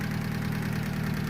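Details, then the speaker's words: Honda Civic with a freshly installed D16Y7 engine, first start after install, cold idle: busy, clattery ticking over a low drone; owner had adjusted the valve lash and hopes it quiets once warm, cause unconfirmed. "Well, she starts, she runs, and she's kind of noisy."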